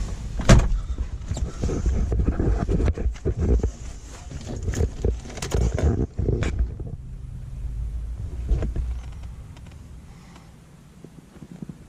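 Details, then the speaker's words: 1985 Mercedes W123 300TDT diesel, just started, warming up: diesel clatter with irregular rattling buzz coming and going, then fading; rear power window regulator noise, operating window sometimes stops it. "Oh, so that noise is actually the window regulator in the back. When I turn on the window, sometimes I can get it to go away."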